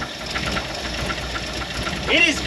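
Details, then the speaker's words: Early-1960s Ford F100 unibody V8, abandoned in woods 25+ years, first start with fuel poured in carburetor: catches and idles unevenly with ragged lumpy beat, clearing up, 60 psi oil pressure; rough idle on first start, exhaust leak, noisy lifters. "idling 60 PSI oil pressure it sounds terrible it's clearing up 6 cpsi oil pressure woo I can't believe this thing's idling"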